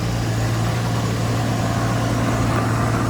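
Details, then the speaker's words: Nissan R34 Skyline sedan (Okubo Factory), cold morning start, heard at the muffler: steady low, even idle hum with no knocks, ticks or misses, barely blowing smoke; normal cold idle. "Sounds great. Cold morning, barely blowing any smoke or exhaust, whatever you would call it."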